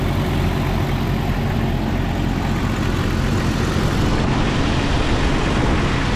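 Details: 1997 Jeep Cherokee XJ 4.0 inline-six after radiator and power steering replacement: steady, even low rumble with constant revs, and no power steering squeal despite one being expected. Normal idle.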